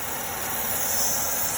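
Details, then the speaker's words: Idling engine with the vacuum hose pulled off the fuel pressure regulator: steady, loud airy hiss of a vacuum leak over the quiet idle. "There's our fuel pressure regulator. If we pull that off, okay, we hear the vacuum leak"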